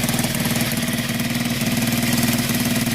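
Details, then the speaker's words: Honda XL 125 motorbike built from spare parts, exhaust just fitted after fuel draw fixed: quick, even single-cylinder putter at steady idle, no knock or rattle; sounds really sweet. "but that's finally downloads that engine sounds really sweet"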